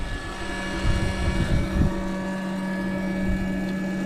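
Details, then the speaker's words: Seaflo 280GPH water pump filling a caravan tank from a 110 L water bladder: steady motor hum with a constant whine near 200 Hz, even under load, running normally. "if you want to get it out pretty quick when the water's coming out I just leave it like that and then rip it out but yeah there we go pumping away"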